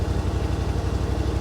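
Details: 2021 Yamaha Wolverine RMAX XTR 1000 4-seater, idling, heard inside the cab, noise meter around 75 dB: steady low throb, evenly spaced pulses, no knocks or rattles; healthy idle.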